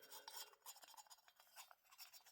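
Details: Husqvarna 278XP chainsaw piston rocked by hand in the cylinder bore: faint irregular metallic rattle; owner calls this piston smoked with too much clearance, unlike another piston slightly too tight.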